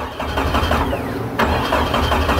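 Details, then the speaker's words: Jeep no-crank diagnosis, dead battery on jump pack, after bypassing an open circuit in the starter wiring: even, steady cranking rhythm with no clicking or grinding; the starter spins the engine normally. "You hear the starter cracking, hopefully."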